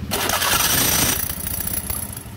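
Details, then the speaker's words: Honda Beat FI scooter with rough, noisy starter: after greasing and reassembly, a harsh grinding rasp for about a second while cranking before it catches; starter drive still grinding because the crankshaft wobbles. "Oke dan di sini dia masih bunyi ya pada saat kita ee kasih Gris lalu dipasang dihidupin ternyata si starternya dia masih bunyi ngejelengik"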